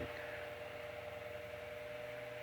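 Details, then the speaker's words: Restored GE brass blade fan AOU 75423 with new head wire, regreased gearbox and re-wicked oilers, on high with oscillation at 120 V raised to about 124 V, above its rating: a quiet steady hum with even airflow; runs fine. "I can already hear it running much better so that's my main stare but we'll bring it up to about 124 okay so that's way above what it's rated and it's running fine running good"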